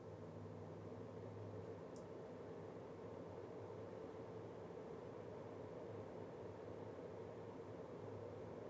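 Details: Nanlite FS-300 LED light, stock cooling fan before Noctua NF-A12x25 swap (fix cut noise over 10 dB): steady whooshing rush with a low hum underneath, fan running louder than it should.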